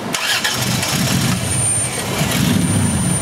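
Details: The engine cranks and struggles to catch with rough, uneven churning, flooded with raw fuel from a stuck-open number five injector that causes white exhaust smoke. The injector control wire reads zero volts instead of 12: a short to ground in the harness, not the computer driver.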